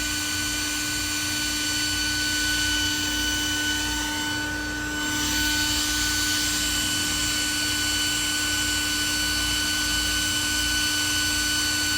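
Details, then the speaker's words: Roger RC electric-unicycle charger, repaired after minor water damage: a steady hair-dryer-like whir with several fixed whining tones from the cooling fan, whose wet bearings are rough; fan left unfixed for later; cooling fan bearing noise. "it's a great charger get one everything's back to normal except for the fan I'll deal with that later"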